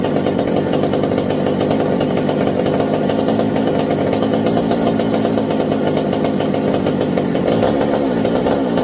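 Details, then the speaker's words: McCulloch 790 chainsaw running on a newly fitted 090 carburetor: steady high drone stays dull and blubbery, not crisp; idle screws all the way open yet it still acts over-fueled, not pulling out at high speed; rich running suspected, not confirmed. "Oh, it runs better, sort of, but man, it's got the the idle screws all the way open on this old girl, and it still acts like it's over fueling, like it's just too much for some reason."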